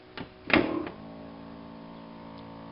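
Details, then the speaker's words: 1982–1992 Pontiac Firebird (F-body) rear hatch pull-down motor: clunks, then faint steady motor hum that never stops after hatch release, cannot pull hatch down; only stopped by disconnecting battery; cause not yet confirmed. "I'll open up the trunk our hatch with button it releases it comes up just fine and you can hear the motor running non-stop okay it's not stopping just you just hear the motor on"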